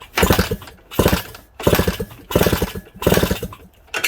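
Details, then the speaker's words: Suzuki DS100 with a CDI ignition: five kickstart strokes about a second apart, each with quick compression chuffs but no firing. There is compression but no spark even after trying two coils, so the magneto is to be checked. "So it definitely should have spark. It's got compression, but no spark."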